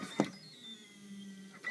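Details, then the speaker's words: Duplex chemical feed control panel in manual mode lowered to 50 gallons per minute flow: metering pump slows right down, stated as 384 gallons per hour, soft hum at a lower steadier note between clicks; normal reduced-speed operation. "You can hear that pump slowed right down. That's down to 384 gallons per hour."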